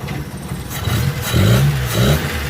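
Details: 2005 Mitsubishi T120SS that suddenly stalled and would not start, after ignition coil replacement: two clean throttle blips, revs climbing and dropping crisply without misses or stumbles; ignition now firing evenly.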